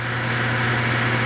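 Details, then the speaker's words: Home AC blowing hot air: at the outdoor unit only a steady fan hum and airy whoosh are heard, with no compressor running; the compressor's common winding later measures open, suggesting a damaged compressor. "So, what I see right here is that the fan is turning, but we can hear that the compressor isn't kicking on because you should hear the compressor sound and the fan sound."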